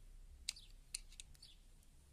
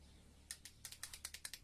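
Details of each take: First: CG motorcycle starter: a few light clicks, then quick cranking that catches into rough, pulsing firing; complaint was only a click when pressing start, tested by bridging the starter relay wires with a screwdriver, starter motor good, relay suspected faulty. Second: CG motorcycle: pressing the starter gives rapid dry clicking from the starter circuit, about nine per second, and the engine does not crank.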